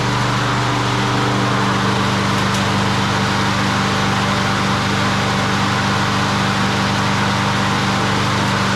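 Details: Craftsman 22-inch push mower, 6.0hp Quantum single, after annual service (fuel system cleaning, new plug, air filter, blade, belt). Smooth, steady buzz at constant speed with no surging or misfire; runs healthy.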